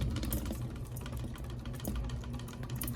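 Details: Flush-mounted Hampton Bay style three-blade ceiling fan with the glass globe fitted: low steady motor hum with scattered light rattling ticks as the loose globe buzzes in its mount; blades or pull chain were also suspected of rattling.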